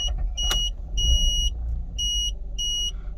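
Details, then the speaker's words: 2006 Mazda RX-8 rotary, hot start on petrol after fitting a new uprated starter motor; it previously failed to start hot: brief, quick crank catches at once and settles into an even idle under chime beeps. Hot start is healthy. "mean that went straight away it didn't do that before so that is very reassuring let's just try again again that was that was brilliant it sounded really good"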